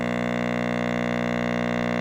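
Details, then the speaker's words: Mains transformer on a 60 Hz powerline turns from a soft hum into a loud, harsh buzzing growl when a half-wave rectifier load (lamp at half) adds DC offset. A DC blocker installed inline restores quiet operation. "that's the solid growl that's why I call growing that's DC offset on the Transformer"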